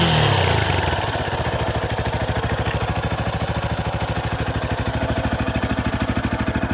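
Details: 2018 Yamaha Tricker XG250 single at idle after cam chain tensioner adjustment (stock tensioner automatic); steady thump about three beats a second, even and settled after a brief blip, no tapping; normal idle.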